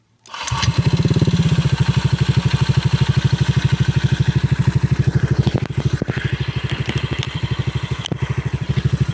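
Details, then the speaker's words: Motorcycle with TRC Racing power pipe, no ECU reset or remap, restarted after switching off: engine catches at once and settles into an even, steady idle thump with no pops or backfires; performance fine. "walang backfire, tapos okay yung kanyang performance."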